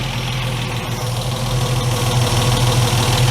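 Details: Ford Capri Mk1 3.0 Essex V6 manual, carburetted, restarted after sitting eight years, with cold-start applied: even, steady idle with constant low beat, no hunting when sprayed for air leaks; no intake leak.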